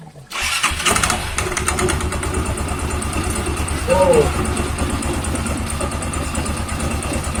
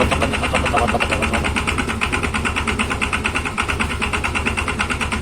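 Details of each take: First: Yamaha Xeon scooter CVT after replacing a wobbly, wrong-fit one-way starter clutch that caused rough rattling: fires up and settles into an even idle with a small blip, the rough noise gone. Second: Yamaha Xeon scooter idling just after a one-way starter clutch replacement: a rough, rapid rattle from the CVT area, about three clatters a second. The cause is suspected to be a missing or incorrectly fitted part.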